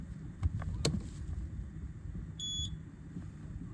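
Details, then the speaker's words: Engine Guard EG-01 dual temperature overheat alarm, newly installed on inboard marine diesel, buzzer behind control panel, tested at key-on: one short clear high-pitched beep over quiet hum; alarm works normally. "That sounds good."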